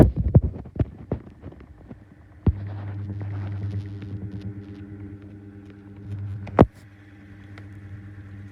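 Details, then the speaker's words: 2019 Schallen 12-inch desk fan on low: steady motor hum with irregular sharp scratches and clicks from badly worn bearings, bent blade too; scratching worse than before. "the scratching noises are really bad worse than knight actually"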